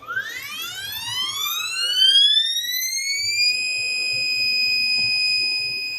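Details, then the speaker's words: Stepper motor on a Pumotix-controlled CNC set to 50 steps per inch, velocity 120,000 IPM, acceleration 500: a clean whine climbs in pitch, holds a high even tone at full speed, then slows; normal stepper operation. "so again you can hear the difference in the tone of the motor you can hear the acceleration change she's doing all of the math she's coming back down you hear it slow down"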